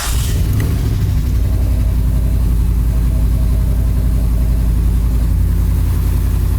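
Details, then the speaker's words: Muscle truck V8 with cutouts, cold crank on first start with new spark plugs, prepped for Holley Sniper; deep, steady rumble settling into an even idle without stumble or hesitation: normal start and idle. "she got saw earlier when I started this thing it was like a nice smooth Idol so that seemed to work pretty good"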